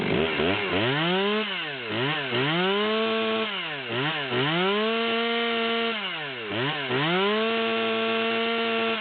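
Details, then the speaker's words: Torque-tuned Stihl 020/200T chainsaw, idle set around 2,880–2,940 rpm, high speed at about the '138' reading, hot: screaming revs at wide open throttle break up with a slight miss; misfire at high rpm, cause not confirmed. "you can still hear the Miss at hot idle with the wide open throttle"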